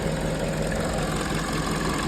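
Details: 2011 Peugeot 207 after fixing stalling, misfire and rough idle, cylinder 4 compression now okay: steady, even idle with no misses or knocks during warm-up as coolant rises, smooth low hum; normal idle.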